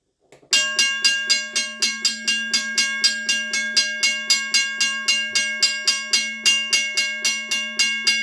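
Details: Restored Seaboard Coast Line WRRS mechanical crossing bell, probably around 60 years old, rust sanded and lubricated, ringing on a 9 V battery for first time in over 30 years: steady bright gong strikes almost four per second, clean ring-out; striking properly.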